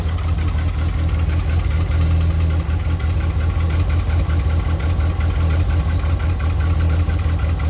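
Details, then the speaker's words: VW Kombi after replacing the worn spark plug cables, which were damp from sitting in the rain (third and fourth worst); the spark plugs were fine. Now a steady, even low rumble with no misses, all cylinders firing evenly at idle. "ó e como ficou parado esses dias aí eles estavam meio úmido sabe E aí fica ruim mesmo mas ela já emparelhou tá ótima já"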